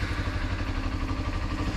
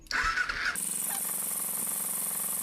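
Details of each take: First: 2007 Kawasaki Ninja EX250 twin revived after sitting about five years with dark old fuel: short burst of steady, even idle with no misses; runs and sounds fine. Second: 2007 Kawasaki Ninja EX250 sitting since 2018 with old 87-octane fuel, cranked on a jump: starter whirs about four pulses a second for two seconds, sputters but won't start; spark present, carburetors suspected gummed up.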